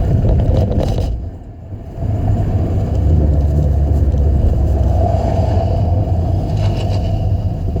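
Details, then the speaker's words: 2005 Saturn Ion with a bad flex pipe leaking exhaust (replacement planned): low uneven exhaust rumble at idle with a ragged popping sputter and a brief dip, described as kind of backfiring but really sputtering. "I don't know if you heard that, but it does kind of backfire in a way. It's not really backfiring, but kind of a sputtering."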